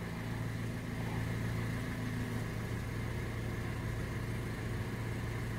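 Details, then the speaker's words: Toyota Corolla after replacing faulty ignition coil that caused misfire: steady, even idle with low smooth hum, no stumbles, idle needle holding steady; normal idle, problem solved. "mostra que o carro está totalmente regular e irregular regulado né"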